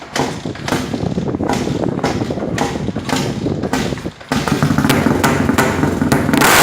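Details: KTM LC4 400 single-cylinder, not started for 3 days, cold start: engine catches with uneven blips then revs climb steadily; nothing unusual knocking, just a stiff cold engine.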